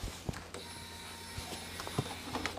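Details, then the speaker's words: Honda RC45 RVF750 motorcycle, ignition switched on to pressurize the fuel system before cranking: faint steady electric hum as the fuel pump primes, with light handling clicks. Normal fuel pump priming; no leaks seen or smelled. "you can hear it pushing Fuel and I'm going to look for leaks and use my nose if I can smell anything"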